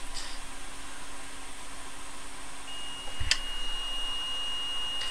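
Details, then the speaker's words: PS4 CUH-12xx board, BD-ROM no disc feed repair, multimeter continuity check on replaced drive fuse F6202: steady high beep holds about two and a half seconds over quiet room hum; fuse conducts. "we have continuity across that fuse which is cool"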